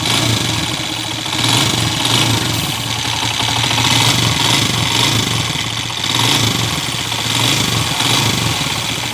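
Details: Honda TMX155 motorcycle at idle, noise persisting after a timing gear replacement, with a cracked crankcase half: loud clattery idle with a rapid hard knock, a worn, loose connecting rod.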